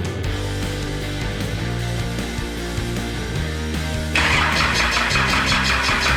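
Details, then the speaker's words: Cummins 6BT diesel swapped into a Nissan GU Patrol with a 4L80e, first start after filling the oil pump pickup: about four seconds of cranking, then a clean fire into an even diesel clatter at idle. Normal start and idle. "is there you have it guys i'll put on a bit of a smoke show here the engine runs it's all good"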